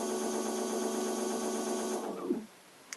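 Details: E-bike motor powered through its controller with Hall-type motor brake, just after switching on during a controller troubleshooting check: steady high electronic whine with fast even buzz for two seconds, then clean wind-down; motor spinning normally.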